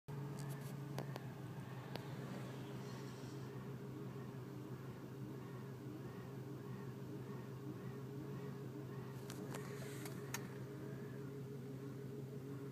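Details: 2001 BMW E46 330Ci cold engine at idle: steady low drone broken by irregular ticks and stumbles, a misfire during cold start; cause not confirmed.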